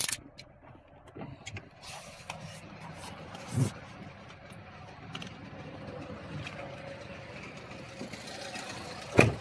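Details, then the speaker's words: 2024 Lada Niva Legend, petrol, about 20,000 km, cold idle: light steady metallic ticking, three to four ticks a second, which goes away when revved then returns with slight shaking; the owner is trying an oil additive. "Вот такой вот металлический звук. При этом, когда газуешь, он пропадает."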